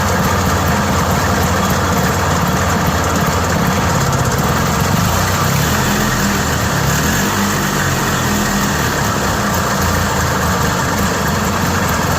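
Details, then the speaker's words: Yamaha G1 golf cart single-cylinder engine started after repair work, now sounding much better than before: steady, even putter at idle, no knocking or sputter. Normal running. "I promise you that sounds a lot better than it did and it worked."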